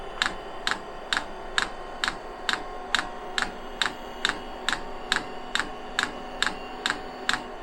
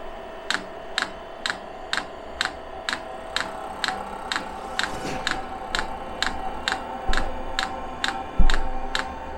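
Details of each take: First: 5 kW all-in-one 12 V diesel heater on pump diesel, first start with unprimed fuel line: dosing pump ticks a bit over once a second over soft fan hum, then heater stops; owner thinks it was a failed start, cause unclear. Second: 5 kW all-in-one 12 V diesel heater on pump diesel, restart after a possible failed first start with unprimed fuel line: crisp evenly spaced dosing-pump ticks a little over twice a second above low fan hum; normal.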